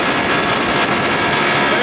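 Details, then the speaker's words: 1992 Johnson 60 hp outboard on first water test, at about 19 mph cruising speed, part throttle: steady, even two-stroke drone under wind rush, no misses or knocks; running healthy. "there's that 19 mile an hour cruising speed i like oh man she sounds good"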